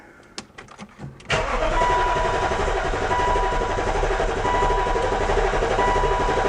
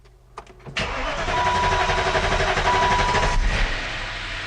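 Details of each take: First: BMW E53 X5 after sitting about three years, fuel line routed into a beaker: steady starter whir for about five seconds with even compression beats and no catch; the fuel pump runs but delivers no fuel, wiring not yet ruled out. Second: BMW E53 started after sitting about 3 years with a no-start, following fuel pump troubleshooting and hose clamp repair. Starter whirrs briefly, engine catches cleanly into a steady fast idle with a light top-end tick; valve train noisy from oil drained from the lifters.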